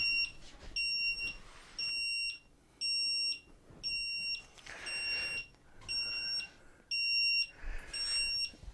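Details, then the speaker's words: Solax Transformer mobility scooter that kept stopping, frame grounded out from mishandling: nine-beep error code at switch-on, about one high even beep per second, indicating a brake fault in the transaxle. "Springs are all there but I've got to investigate what's happening with this break because there is break error turn it on"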